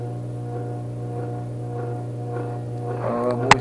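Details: Vintage 1937 electric fan running unoiled: steady low mains-like hum with a buzzy edge and a sharp rattle near the end; owner suspects a loose part with slack, hoping oil cures it.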